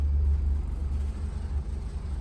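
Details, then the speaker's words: 1994 Holiday Rambler diesel pusher RV: low steady diesel rumble continues unchanged after the key is turned off and the instruments go dark. The faulty fuel shut-off solenoid isn't cutting fuel. "and you can see all the instruments have shut off and if you can hear it the engine's still running so the key is off but the engine's still running what is going on"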